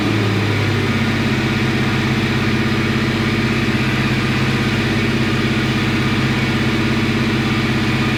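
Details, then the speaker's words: 1957 Chevy Bel Air, probably out of adjustment, held at about 2800 rpm: rough, uneven, wavering pulses instead of a clean drone; stumbling under throttle hold, cause unclear. "did not like that why was it doing that didn't like this one setting all that much"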